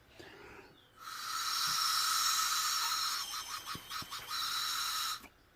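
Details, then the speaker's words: Volvo V50 1.6D (PSA 1.6 HDI) with anti-skid warning: removed EGR valve pressure-tested while shut gives steady loud hiss of air passing through; valve not sealing, would leak boost and read high EGR flow. "yeah it's leaking like hell so obviously that's no good you can imagine and the boost that's gonna leak quite bad and the boost that about the egr valve is supposed to close"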